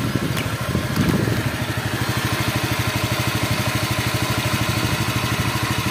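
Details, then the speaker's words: Honda Vario 125 after radiator repair: quick steady tapping about three per second over the idling engine, from the CVT roller clip, left unreplaced to keep cost down. "untuk bunyi tok tok tok tok tok itu di bagian klip rollernya kita enggak ada penggantian di situ karena motornya ee mintanya itu kalau bisa diminimkan budgetnya"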